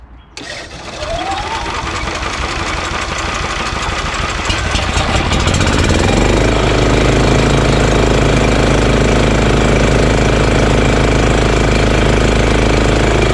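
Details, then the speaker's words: EZGO Workhorse golf cart with Honda GX340: starts, climbs, then settles into low steady even idle, no knocks or misses, though still engaging the belt. Normal idle. "uh i'm gonna see how low i can get the item and that's pretty low idle you know that's pretty good idle idler very good actually but it's still engaging the belt"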